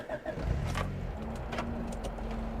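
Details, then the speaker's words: 1989 Honda Prelude Si just after startup, check engine light on: engine stumbles with uneven, hunting low rumble, running terribly; ECU code 14, idle air control valve code. "and it's doing this now this is weird I'm getting a check engine light it's running terribly"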